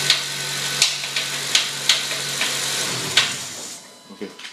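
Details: 2008 Honda Civic Si: loud, sharp knocks, roughly one or two a second, over low engine hum and hiss, engine knocking that began suddenly.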